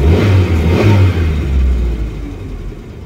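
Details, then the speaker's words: 1989 Ford Pampa CHT after carburetor kit and gasket replacement: quick rev, throttle released, engine drops to calm steady idle without hunting or stalling; previously wouldn't hold idle and flooded and died after hard revving, now fixed. "então o problema é que não tá tava estabilizando na lenta e tava desligando quando acelerava forte assim ó e tira o pé ele é afogava então agora já tá alinhadinho"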